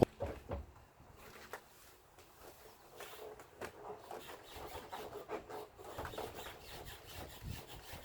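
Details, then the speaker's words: Mercedes with someone standing on the car at the rear passenger door: rubbing creaks and squeaks each time the suspension compresses and rebounds; the suspension squeak is being located before any part is replaced. "So as I stand on the car, you'll hear the squeak."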